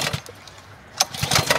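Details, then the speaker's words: Honda GCV 190 pressure washer, non-running from its previous owner: several quick pull-cord whirs but no firing; the spark plug is doubted as the cause, the carburetor is found dry, fuel isn't getting through. "I don't think it's the spark plug I don't think it's getting fuel."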